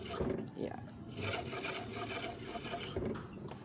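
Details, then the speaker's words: Motorcycle disc brake with newly installed pads, wheel turned by hand: a dry, steady scraping on each turn. The fresh pads drag on the disc until they bed in; the wheel still spins freely and the noise is normal after fitting. "tapi kalau nanti kalau buat jalan ya di rm1 duel ya ada suaranya ini sampai habis kadang pasang jadi menyesuaikan yes ini suara antara kampas dengan piringnya ya"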